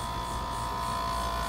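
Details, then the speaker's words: Dometic RV rooftop air conditioner, cooling but not blowing air: compressor hums and the condenser fan motor groans without spinning, extremely hot; fan capacitor failed, fan stalled. "hear it groaning but the fan is not spinning so what we need to do is see if it's a capacitor or if our fan motor is bad it's extremely hot so it could be either one"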